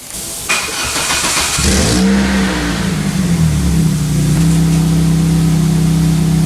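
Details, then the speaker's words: 2003 Pontiac Vibe GT after replacing the ignition coil and spark plugs: engine catches, then settles to a smooth, rhythmic idle purr with no random stumble; misfire fixed. "much better nice and rhythmic doesn't have that random now depending on the car that could be part of what you're looking for but in this case I want that nice purring sound maybe a little bit of raspiness"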